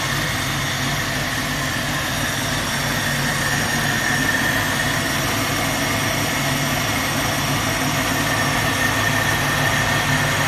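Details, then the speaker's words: 1967 Mustang started by bypassing a bad starter solenoid: a steady, even low rumble at idle with a smooth beat and no knocks or misses; the engine runs normally. "Throttle. That worked. It's alive."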